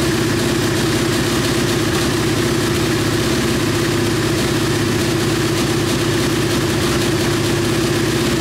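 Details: KTM Duke 125 idling during ECU diagnostic test: steady even idle, smooth regular beat, no misses or knocks; no fault codes found; normal idle.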